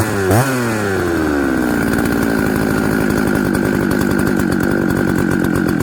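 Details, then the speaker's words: Husqvarna 266XP chainsaw, hard starting and flooded, mixture leaned slightly: fires, revs, then runs with uneven burbling stutter instead of clean scream; rich running, easy flooding, signs of a bad carburetor. "so that's the thing hard starting okay easy flooding but get your your jets aren't way out those are all signs of a bad carburetor"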